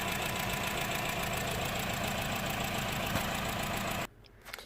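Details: Honda Jazz 1.2 petrol idling rough with engine light on, lumpy stumbling beat from misfire on cylinders 2 and 4; coils and injectors already swapped elsewhere.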